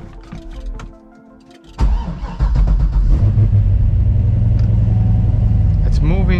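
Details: C6 Corvette V8 after repair for no oil pressure: short crank, catches and settles into a deep, even idle with no knocking or rattle; about 75 psi oil pressure shown.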